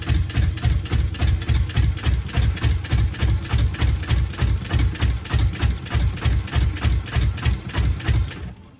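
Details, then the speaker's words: Subaru GC8 with EJ207 STi shortblock, first start after injector install: lumpy, uneven idle with heavy pulsing chug about three a second; engine running on one bank, other bank has never fired. "Hear that dum dum dum? It wants to go. So I've lifted the manifold up here because, so this side, what I did was I pulled out the plugs. This side has never fired whatsoever."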